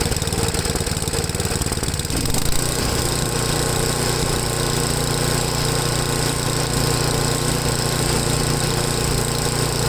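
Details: Ariens 8HP Tecumseh engine on new replacement carburetor after mixture adjustment: single-cylinder pops along at idle and shifts speed partway instead of settling; idle surging, owner says these always surge idling while full throttle is fine.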